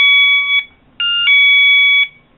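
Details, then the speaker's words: Harbor Freight Bunker Hill wireless security alert (item 93068) set to low volume: loud two-tone electronic chime, short burst then longer one about a second apart, confirming batteries installed and sensor detecting motion; normal alert. "It lets us know that the batteries are installed correctly, and now it's beeping because it sees me in the camera. That's how loud it is"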